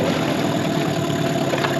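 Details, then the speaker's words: 2003 Mercury 15 hp two-stroke outboard after restoration, bought not shifting into reverse: returned to idle without stalling and now in reverse, even low burble with no misses or surging; normal idle. "if we come back to idle the motor should not still which it does not it also goes into reverse"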